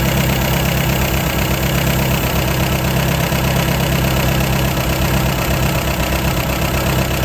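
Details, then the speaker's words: 1953 MG TD after engine rebuild, tuning twin SU carburetors, idle: fairly fast, slightly uneven idle with a soft pulse; both carburetors too lean. "so we know we're too lean there we're also too lean there"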